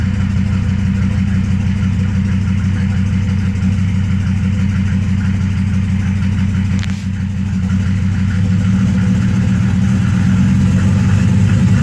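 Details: 1993 Mercedes OM602 diesel at idle: loud clatter with an uneven, lumpy beat that wavers instead of holding steady, a rough idle.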